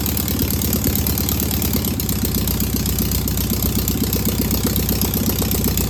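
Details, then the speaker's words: Single-port engine idling after its first start on a known good carburetor: steady, even chatter at about four pulses a second with no misses or knocks. No smoke, a good running engine. "That's a good running engine right there. That's got a lot of good a lot of good positive things to it. That's great. That fired right up. Didn't smoke."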